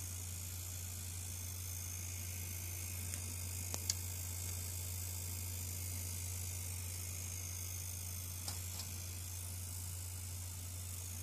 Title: Ayumilove GTX 970 Coil Whine - ASUS, EVGA, ZOTAC, MSI, GIGABYTE, GAINWARD